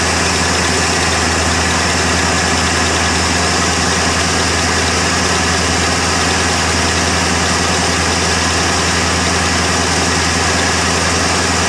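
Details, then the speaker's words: 1977 Ford F150 Supercab Ranger XLT with a 460 V8, cold start after the brain box was revived and fuel added: steady low V8 rumble at idle with an even firing beat and no misses or knocks. Normal running idle. "had to give the old brain blocks a little bit of an attitude adjustment and make her work but otherwise sh she's a runner"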